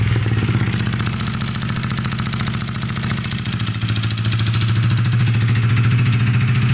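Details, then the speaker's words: Yamaha NMAX about 30,000 km, previously water-hammered, smoking heavily and leaking at the head: rough, clattery idle with uneven beat about three to four pulses a second; scored cylinder. "udah ngomongnya kasar banget ya berasap banget"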